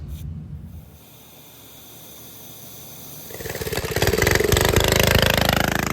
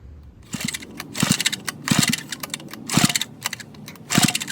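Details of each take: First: Rare vintage Donelson Mini Mule minibike, single-cylinder, roughly 50 years old, first run after new fuel line, fuel shutoff, new air filter and basic kill switch: fires up, settles into a quick steady putter that builds without stumbling; runs fine. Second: Vintage Donelson Mini Mule minibike, roughly 50 years old, about 60 psi compression, cylinder lubricated with penetrating oil and two-stroke mix: weak sputtering bursts about once a second with quiet gaps, barely running on low compression.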